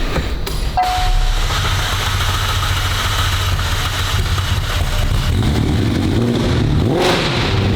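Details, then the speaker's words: McLaren 720 GTR, about 1300 hp, after clearing codes: deep uneven rumble that stumbles instead of idling cleanly; hard start needing the starter held long with brake and a little throttle. Cause not found. "Really weird. Didn't want to start, held the starter button down for a long time, and I actually had to hold the brake with my left foot and give it a little throttle"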